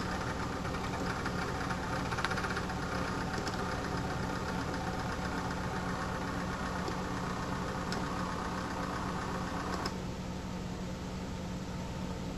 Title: Medion PC sounds like diesel engine !